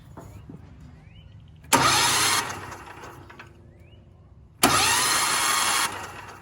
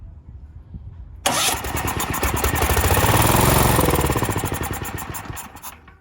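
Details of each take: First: Cheap Valsi generator bought used, oil at OK mark: two short bursts of steady starter whirring, no firing, engine spinning freely; starter and its electrical system verified working, normal cranking. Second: Cheap used Valsi generator, starting fluid sprayed into intake, choke on: small engine catches off the starter, pops about four beats a second, swells, then fades and dies; runs briefly on spray only.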